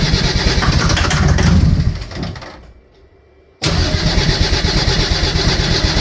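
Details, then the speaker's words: Mercedes OM603 diesel swapped into a Ford Ranger (Doomsday Diesel adapter, Ford ZF5 transmission), first start attempt after sitting, starting fluid used: slow, labored cranking about three beats a second fading out; battery pretty dead. "the battery is pretty dead but let's crank on her a little and see what happens might have to let the battery charge up a little bit"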